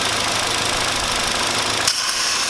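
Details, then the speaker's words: Hyundai YF Sonata shaking at idle on start: hissing, slurping noise over rough idle as tap water poured on cylinder 4 area is sucked into a leaking intake manifold gasket, confirming a vacuum leak. "It makes a sound I can hear the sound of water being sucked in. Should I try it again It makes a sound like this"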